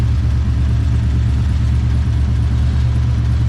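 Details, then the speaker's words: Nissan 240 drift car with V8 after dyno, nearly out of fuel: deep steady rumble at fast idle with an uneven, lumpy pulse; odd engine noise, owner unsure whether belt slip or idle air control valve. "This thing keeps making an odd noise. I don't know if it's belt slip or what."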